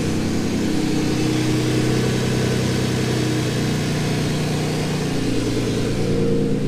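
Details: Twin-turbo Ford Capri after lowering the throttle set screw; steady, even idle with a low throb and no hunting or stumbling, about right though still a smidge high.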